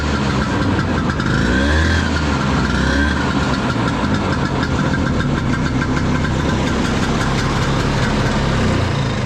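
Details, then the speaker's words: 1972 Elan snowmobile, 250 single-cylinder two-stroke, after repairs with new belt and repainted clutches: steady slightly uneven putter holding an even idle, no knocks or misses, sounds healthy. "start it up let it run it's gonna be a little smoky those single cylinders just have their own sound sounds pretty cool"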